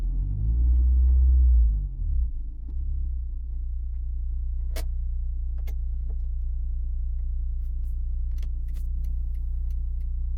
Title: Honda S2000 transmission rattle/knock noise